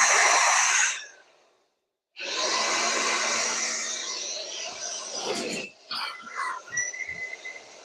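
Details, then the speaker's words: New Makita 12V cordless blower, first run in garage, three speeds: steady rushing air with faint motor hum that cuts out then restarts; normal running. "this is going to get loud guys oh it's got three speeds oh it barely blows oh crap it's actually pretty"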